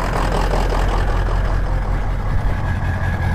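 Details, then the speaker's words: 03-07 Ford 6.0 Powerstroke diesel with stock exhaust, just started after cycling the glow plugs twice: an uneven, choppy exhaust idle with a lumpy pulse of about two beats a second and the tailpipe shaking. Misfire from plugged injector, one injector down. "do you hear the chop in the exhaust chop chop chop chop chop chop chop chop chop and it's just not smooth you can see the tail pipe shaking a little bit that's an indication of one injector B uh down"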